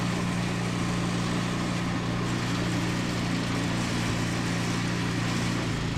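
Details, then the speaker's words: Toro 521 snowblower started after replacing a blown drive belt, new belt nice and tight. Small single-cylinder runs at a constant buzzing speed with an even note, no squeal or slip; running normally. "Okay, so it works awesome."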